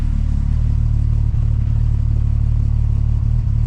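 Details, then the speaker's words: MK4 12v VR6 with newly fitted Techtonics Tuning 268 camshafts, idling in the garage: deep, steady rumble with a slight periodic dip, a mild cam lope that the owner expects to get choppier as it runs. "it's got a little dip in it I can hear it now but again I think the more it runs um it'll let start get a bit choppier"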